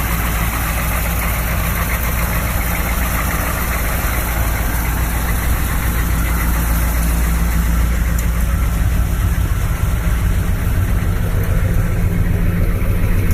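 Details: 1986 Chevrolet K30 M1008 military diesel truck on 37-inch tires, some engine rework done, true dual exhaust: steady, deep diesel idle with even clatter at constant pace, no misses or knocks; engine running healthy.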